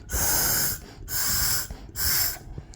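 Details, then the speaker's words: Honda K24/K20 air assist valve, removed and cleaned of carbon, after cooling down: three steady bursts of freely flowing air hiss as it is blown through; valve open and working (closes around 120°F). "yeah so it's it's actually open now it's actually open now so so this is is it's working now"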